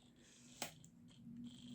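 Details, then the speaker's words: Sigma 17-50mm f/2.8 lens, about 12 years old, on Sony ZV-E10 via 7artisans EF-SE adapter, autofocus on: a click then short thin buzzing whirs as focus hunts; loud autofocus from the lens, not the adapter. "As you can hear, it's quite loud at autofocusing. But that is the lens, not necessarily the adapter."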